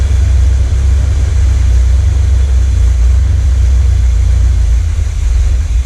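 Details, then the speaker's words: 1979 Corvette L82 V8 idling in neutral, hood down, after the choke opened: deep, loping idle that keeps stumbling and surging. Smoke test found no vacuum leak; owner suspects a failed carburettor idle circuit, with the transfer circuit compensating. "This is the closest to an idle it's ever been, but it's still like stumbling."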